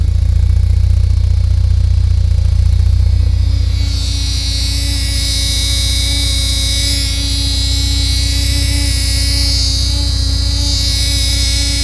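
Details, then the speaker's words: 1979 Porsche 924 after reinstalling the transaxle, fitting a new muffler and braided fuel lines: deep, throaty idle drone with a hissing, whirring layer. No fuel leaks are found; the owner thinks a noise damper may be missing at the front. "Nothing leaking on the pressure side. Anywhere. There's what that sounds like. Pretty throaty."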